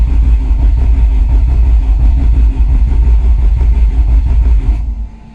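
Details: Peugeot 205 GTi Mi16 engine, first start, cranked on a fly lead with ignition disconnected to build oil pressure: even, strong cranking about three beats a second stopping cleanly near five seconds until the oil light went off; normal cranking.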